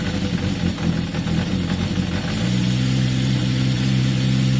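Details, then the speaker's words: Yamaha XJ550 motorcycle cold on choke after carburetor work: smooth, even low burble settling into a steady fast idle, no misses or knocks; sounds as good as before, idle may need adjusting; normal cold idle on choke. "I mean, at this stage, it at least sounds as good as it did before. That's a good start."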